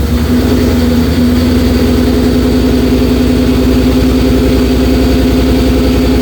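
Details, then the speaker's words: 2004 Mercury Marauder with a forged 03-04 SVT Cobra supercharged engine swap, second start after 7 years sitting: a steady, fairly high whine over the idle from start-up; air in the power steering suspected, bleeding needed. "What the hell? Power steering did not like that. Bleed this system or something."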